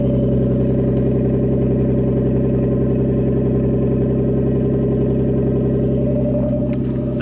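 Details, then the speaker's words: Nissan A31 Cefiro RB20DET with an R34 RB25 Neo turbo, first start, coolant bleeding: loud, raspy, unmuffled idle from only a downpipe and no exhaust, steady and even with no stumble; engine sounds healthy. "but as you guys can tell it doesn't sound so bad right now there's no exhaust on the car but again that's another one of those things right now all i have is the down pipe"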